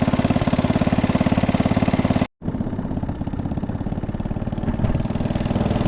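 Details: 1961 International Cub Cadet Original tractor, 7 hp Kohler single-cylinder: even, steady thump at a relaxed idle, no knocks or misses; engine sounds healthy.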